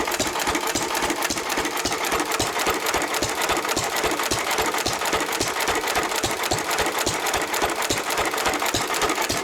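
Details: 1923 3.5 hp Emu (rebadged Hercules) stationary engine, restored early 1980s, idle 20+ years, after oiling a sticking magneto/exhaust valve linkage: crisp regular firing near two beats a second with light mechanical clatter; normal hit-and-miss running.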